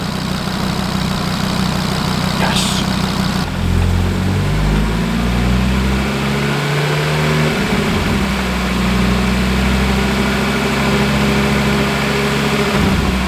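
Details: Audi RS3 DAZA engine with DSG at warm idle on first start, 80 degrees on top hose, gears cycled; steady smooth low hum with a couple of brief pitch shifts, no knocks or misfires, normal healthy warm idle.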